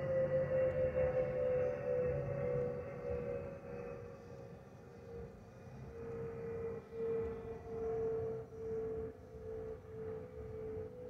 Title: 💛🖤💛Spirit Airlines Airbus A320-232SL N621NK NK734 LGA-DTW (FOPP whistling sound)💛🖤💛